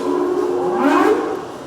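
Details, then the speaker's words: Vintage power shrinker/stretcher, model 476, probably from the 1940s, set up for shrinking, switched from high to low speed: smooth motor hum drifting lower as it settles at the slow setting, running evenly; normal low-speed running. "And that is our low speed setting. So you can see that compared to our high speed setting."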